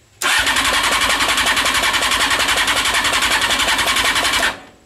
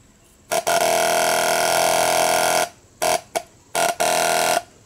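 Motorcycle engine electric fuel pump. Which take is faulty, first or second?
first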